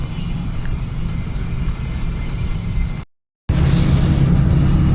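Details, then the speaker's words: Lada Niva driving around after a rattle from the front left: even low road rumble with no clunks or knocks; transmission suspected earlier. Normal driving, no knock. "а в целом вот эти посторонних звуков духов нет никаких так что за нормально будет"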